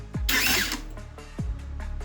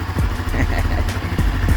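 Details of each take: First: 2022 Honda CB Twister starter cranking: two short raspy ratcheting bursts, nearly locking; starter motor's internal magnets apparently loose from the housing, starter must be replaced. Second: 2022 Honda CB Twister, 12,000 km, after starter drive repair: starter spins and engine catches cleanly into a low, even idle, no whistle or grinding; start noise fixed.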